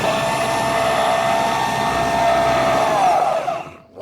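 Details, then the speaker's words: Same winch after cleaning the corroded connection, run with the battery polarity reversed: even, steady whine at constant pitch, winding down smoothly. The motor runs normally, so it will be wound all the way in. "it sounds good so I'm gonna wind it all the way in now"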